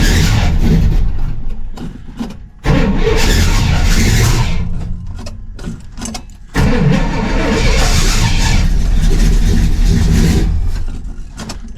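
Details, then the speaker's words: 1968 Pontiac LeMans cold start after sitting most of winter: cranks, catches and stumbles in uneven sputtering bursts before settling; sounded out of time or something off, then runs strong and clean. "A little bit of a scare, but um yeah, it sounded like it just wasn't in time or there was something going on."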